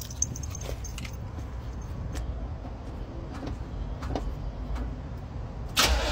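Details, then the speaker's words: Chevrolet Camaro started after about two weeks sitting: uneven, lumpy rumble as it turns over and struggles before finally catching once given enough fuel; hard start after sitting. "Bueno ya habéis visto que al principio pues le ha costado pero una vez que ya le hemos dado bien para que tuviese bien de comida ya ya está ya arrancado"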